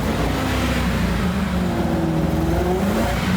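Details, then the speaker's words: Junkyard boat car previously sunk in a lake, with a finicky fuel-pump connection making the pump pulse: at full throttle the engine labours low and uneven, revs sagging instead of climbing; starving for fuel. "Full throttle, it's barely idling. Like give it gas, it actually gives it less RPM. Starves it."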